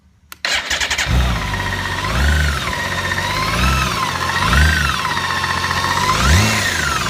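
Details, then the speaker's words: 2013 BMW K1600GTL six-cylinder motorcycle, about 4,900 miles and under warranty, starting, idling and taking three short revs with a persistent knock under the running; engine knocking, and the dealer could not fix it until the fault becomes apparent. "yourself so you can clearly hear there is a knocking in the engine uh so I have a very expensive motorcycle that that screams down down the road knocking the entire time"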